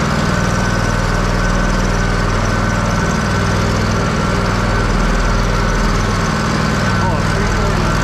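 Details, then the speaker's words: Kohler CH750 in a Miller Trailblazer 302 AirPak welder, after the owner's repair: a steady even low thrum of about four beats a second with no misses or knocks. It sounds pretty much identical to the other welder. "don't they sound pretty much identical now Mike wins Mike one again"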